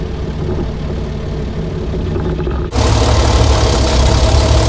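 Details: 60-year-old International Harvester 6x6 army tipper, Perkins 6354 diesel, sat about 10 years, as the heavy clutch releases and it tries to move: deep, steady idle, then a sudden louder, even pull as the throttle opens; running smoothly.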